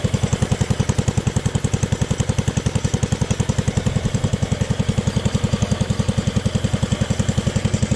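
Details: Jacobsen Chief 1000 tractor, Kohler K241, after freeing stuck carburetor float needle and new fuel line: steady, even thumping with no skips or surging, low clean beat; running normally.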